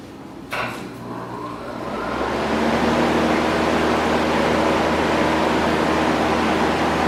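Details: One-year-old window A/C unit, fired back up after its condenser coil was cleaned from the inside: steady low hum under an even rush of air from the fan that builds over a couple of seconds, no rattle or scrape; running normally.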